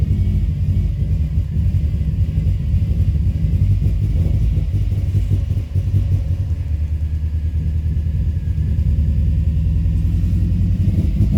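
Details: 2005 Subaru Forester XT after an idle adjustment; codes show a blow-by function problem and a P21 code, owner concerned about blow-by, earlier a coil miss and suspected rich running. Deep, uneven idle rumble that wavers and stumbles; rough idle, cause suspected, not confirmed.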